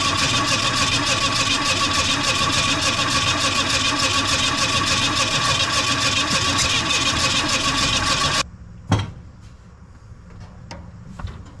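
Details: 1980 Mustang hatchback parked 31 years, carburetor float freed and accelerator pump now delivering fuel; even starter churning about three to four beats a second, never catching, ignition still suspected.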